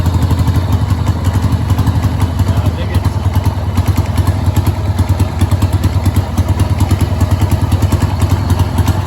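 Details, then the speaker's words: 1989 Harley-Davidson Sportster 883 after carb cleaning, old plugs: loud, lumpy V-twin idle with uneven stumbling beats and won't idle properly; owner suspects rear cylinder misfiring, possibly carb or bad plug, not confirmed. "so i think it's that rear cylinder i think it's just not um i can hear it firing"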